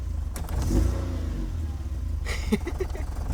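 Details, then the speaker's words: Test-car 8-valve engine started after a snapped fastener was drilled out, leaving metal shavings in the intake and broken vacuum lines; it idles steadily, then picks up cleanly on a blip and settles back without stumbling, normal idle and rev. "so let's start it up and see if I just myself or not so far so good it's great from Idol"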